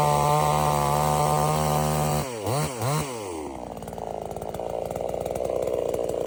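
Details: $97 Temu Chinese gas chainsaw cutting wood: strong steady high rev with a couple of quick dips as it bogs into wood, then falls to idle; runs well, later stops only from running out of gas.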